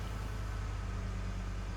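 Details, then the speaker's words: 2011 Ford F-150 5.0 V8, about 225,000 miles, cold start right after cleaning a dirty throttle body to cure a rough idle: steady, even low rumble at about 1,000 rpm cold fast idle, with no stumble or miss. Normal cold fast idle. "So right now, this is a cold start, so it's doing about 1,000 RPM."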